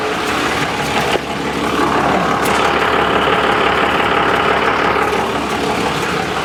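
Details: 1995 Dodge Cummins 12-valve P-pump diesel, idling after first revival from the desert: steady clatter with an even beat, no stumble or knocking; charging 14 volts, though leaking fuel and transmission fluid at the torque converter housing; healthy normal idle.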